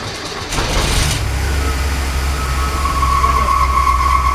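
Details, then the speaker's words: Newly rebuilt '65 Ford Falcon engine after a year of restoration, first start after priming oil and installing distributor; catches and settles into a heavy, lumpy rumble with thin whine, shaking ferociously, running rough, cause unclear; tachometer wired wrong. "that was so scary turning on a car and having it shake ferociously and make giant noises is never a good sign"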